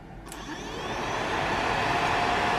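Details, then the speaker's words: Suzuki DR-Z4S radiator cooling fan bench-tested on power supply, about 2 A at 12.9 V, 3 A peak: spins up to a steady quiet airy whir with no rattle or scrape; normal fan operation after radiator repair. "It's actually relatively quiet for a cooling fan. It's much quieter than the fan on my KTM."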